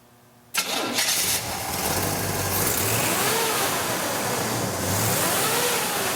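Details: 1956 Chevy 3100 pickup with a Camaro 305 V8 and Turbo 350 transmission: a quick crank, it catches at once and settles into a full, steady rumble with light throttle blips. Normal start and rev, healthy engine.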